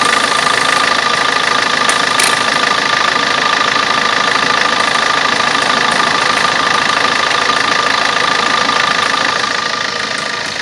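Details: Vauxhall/Opel Corsa D 1.3 diesel idling with a weird fast, fairly even light ticking, about three clicks a second, over the clatter; source of the click not determined.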